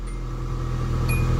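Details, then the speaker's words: 1993 Nissan Altima after replacing the failed ECM relay that caused its crank-no-start. Smooth, steady low idle with even firing and no misses, stumbles or knocks; it restarts and runs perfectly. "look at that guys and girls that is perfect yeah shut it off start back up again perfect"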